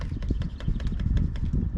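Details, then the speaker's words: Giant Crest 34 fork on a new Giant Fathom 2, about 80 psi, rebound set fully fast: quick light clicks each time the fork is pumped, whatever the rebound setting. The dealer says Giant recognizes a problem with these forks. "still there so my giant dealer told me is there is a problem with these forks the giant recognizes"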